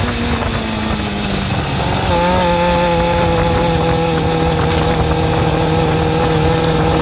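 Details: Suzuki GSX-R400 (RL) motorcycle engine: revs climb then hold with light ticking over the hum; owner suspects valve shims or timing chain, unconfirmed.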